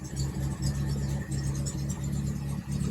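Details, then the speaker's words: 1961 Triumph TR3A four-cylinder just started, warming up, idling about 550 rpm with about 55 psi oil pressure; slow even low rumble, steady pulse, no knocks or misses; idles well despite coolant and fuel leaks. "all right so I've got it running and it actually idles pretty good sitting there idling at about 550 RPMs maybe all the gauges are working about 55 lbs of oil pressure"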